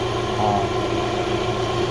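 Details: Subaru interference engine, idle after replacing the bad timing belt tensioner (converted to manual); earlier the belt jumped timing and bent valves. Idle smooth and steady, even low rumble, no slapping or flapping from the belt area; sounds healthy.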